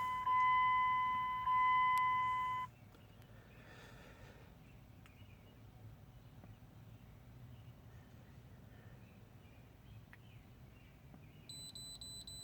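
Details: 2002 Dodge Durango SLT 4.7L V8 4x4, 208k on dash, replacement motor about 108k miles: OBD code reader gives two long two-tone beeps powering up, then quiet; reports P1494 leak detection pump pressure switch or mechanical fault.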